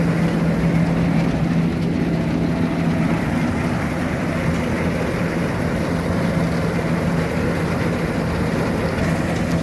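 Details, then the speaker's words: Combine harvester diesel just brought to the farm for the season, started straight up: steady low rumble at an even idle, no knocks, misses or rattles; engine sounds healthy. "running machine, started straight up."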